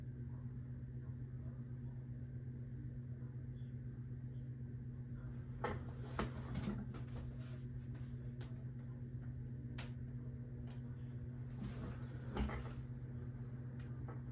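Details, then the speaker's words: 1980s Supreme Mark VI ceiling fan, rebuilt with Casablanca blades and Zephyr irons, on high speed: steady 60-cycle hum with scattered sharp ticks every second or two from the motor. "You know, it's already moving a good breeze, but the ticking sound can start to be heard. You know, on high speed, it's definitely audible."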